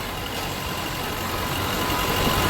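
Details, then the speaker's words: Old farm tractor with its exhaust cut short to fit a garage; loud, raw diesel clatter, steady and even with a slight rise; runs fine. "Works good though, and she moves fast."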